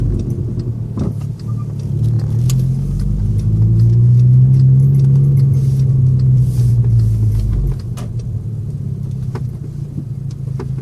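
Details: VW MK6 GTI: quick, sharp chirps about three or four a second over idling engine rumble, newly started, from the engine bay, cause unknown.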